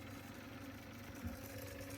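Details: Sony TC-K777 cassette deck fast forward after replacing a failed transistor and adjusting the reel motor screw. The motor runs at about 134–136 Hz without transistor saturation, with a soft steady hum and faint tape whir and no strain. Fast forward is normal.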